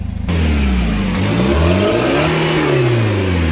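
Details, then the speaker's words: 2010 Chevrolet Captiva diesel after repair: previously engine and SVS lights came on and rpm stuck at 2000 on hard throttle, with DTC P089 fuel pressure fault; now revs freely past the old limit to 4500 rpm and drops back, no stumble or cut-out. "Nah sekarang sudahah bisa tembus sampai RPM 4500 Coba kita cek sponya Oke coba gas 4.500"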